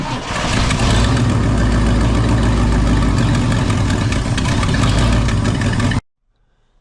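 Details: Ford F250 started under the hood; low note that surges and stumbles unevenly for several seconds, then dies. Rough running that the owner believes is a fuel delivery issue.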